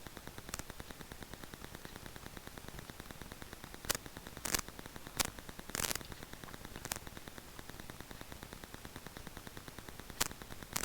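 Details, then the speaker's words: Rode Videomic Go on a GoPro Hero 7 Black via the GoPro mic adapter, home office with Wi-Fi and a laptop 30 cm away; constant hiss with sharp random pops and crackles; electrical interference on the mic. "my experience with the Rode Videomic Go is that there's always a hissing, a popping, a cracking, some weird electrical interference sounds."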